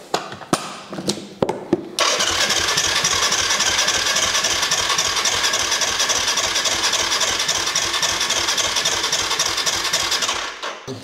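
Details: Quad (ATV) crank no-start: a few short starter bursts, then long steady fast cranking that never catches; fuel pump tested working, no fuel reaching the plug suspected, injector suspected.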